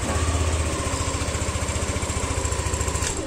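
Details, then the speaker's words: Yamaha New NMAX with aftermarket keyless smartkey and immobilizer, remote held close: starter whirs briefly, then the single catches and settles into an even putter about 3.5 beats a second. Normal engine start. "Nah, bisa nyala. Jadi fitur immobilizernya tuh bekerja seperti itu."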